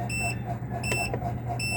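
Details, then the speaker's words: One Solar 3 kW toroidal off-grid inverter at 6:55 am on a 24 V battery at 23.1 V with 9% load: shrill beep about every 0.75 s as a low-voltage alarm (LVD set at 22.2 V), which stops once solar charging begins. "Pag 23.2 2 na ang detected niya which is ngayon 23.1 kasi may load na 9% oh 23.1 So nag-a-alarm na siya."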